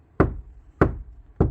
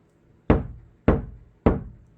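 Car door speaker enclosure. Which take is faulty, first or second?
second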